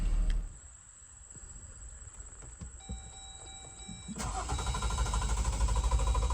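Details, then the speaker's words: 2018 Jeep Wrangler JL Sahara 4WD 3.6L V6: starter churns at a steady rhythm after pressing the start button but the engine never catches or fires and the starter keeps engaging until switched off; no-start caused by a failed fuel pump relay. "All right, so as you can see, it was simply just cranking. Once you hit the start button, it would just and you would have to, essentially turn it off to, get the starter to stop engaging."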